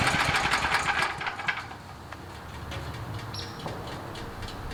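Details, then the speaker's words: Generac pull-start portable generator restarted hot with choke out: pull-start rattle, then settles into an even, steady chug with no misses or surging; starts first pull warm, output voltage steady. "I really like it I think the voltage is super steady on it"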